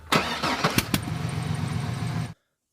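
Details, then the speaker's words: GMC engine cranked during a compression test without disabling fuel: quick even starter pulses with a few stronger catches as it tries to fire; critic says the fuel pump relay should be pulled first, since fuel skews compression readings. "so you'll hear this the engine the vehicle tries to fire up all he has to do is pull the fuel on the relay for the fuel pump"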